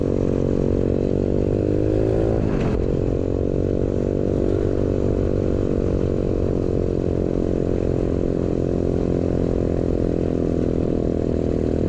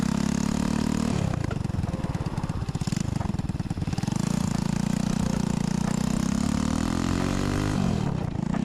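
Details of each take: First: New 125cc four-speed kick-start engine in a custom Pagsta chopper with a newly made exhaust, riding: small single revs up cleanly and pulls through the gears, even exhaust note with no knocks or rattles; healthy running. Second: Chopper build with a new 125cc 4-speed single-cylinder engine, no cover, exhaust cut short for kick-start clearance: harsh, open, popping bark rising and falling with throttle, far too loud.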